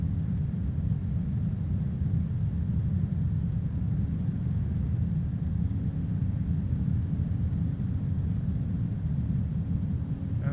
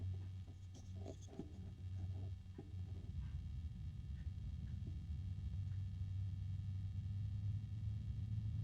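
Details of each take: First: AMChoice RSL06-360-ARGB1 AIO radiator fan at maximum speed: a steady, even rush of air with no ticking or rattle; the fan is at full speed, with weak static pressure of roughly 1 mm. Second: AMChoice RSL06-360-ARGB1 AIO cooler radiator fan at minimum speed: low, steady droning hum with a grumbling throb, sounding strained and resonant, with a harmonic resonance; cause unknown.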